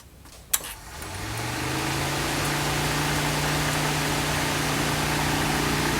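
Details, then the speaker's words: Mitsubishi Lancer with overheating and a suspected faulty cooling fan control module, fan temporarily wired to run whenever the ignition is on: click, then a rushing whoosh that climbs in pitch and holds steady; cooling fan spinning up normally. "see now you hear the fans on so every time you turn on the ignition of the car it will start"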